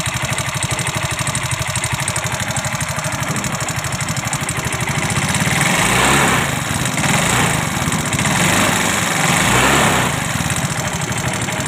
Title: Yamaha fino mesin kasar #bengkelmotor